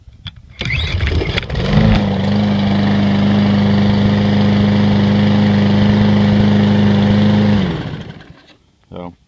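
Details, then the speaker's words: Briggs & Stratton lawnmower engine catches on the first pull and settles into a steady, even drone for about six seconds before shutting off; a normal, healthy start and run. "these seems to be starting on the first full they're all Briggs engines"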